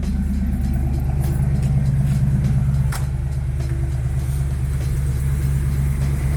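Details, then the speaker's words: 1987 Mustang after engine swap, just fitted a replacement MAF sensor; starts right up, steady low idle with slightly uneven loping beat, smoother than before but still kind of rough. "So it runs a lot better. It's still kind of rough."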